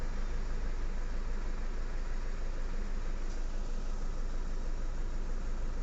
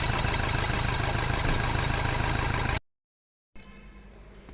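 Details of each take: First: Toyota Fortuner diesel, knocking and pickup problem: rough idle with heavy steady knock about three times a second; scanner shows injector circuit open, traced to broken injector wiring; one injector not firing. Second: Toyota Fortuner diesel after repairing broken wiring that caused knocking and pickup loss, code cleared: starts and settles into steady even clatter with no knock; engine now silent, normal idle.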